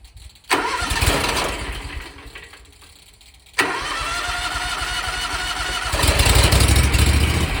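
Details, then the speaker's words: 27 hp Kawasaki zero-turn mower engine restarted hot after mowing, on a relatively cool day: cranks a few seconds, stumbles, then catches late and slowly builds revs. Owner suspects a sticking fuel shutoff solenoid in the carburetor starving it of fuel. "what what led me to it when i think the problem is is the fuel shutoff solenoid in the carburetor uh that keeps fuel from getting p"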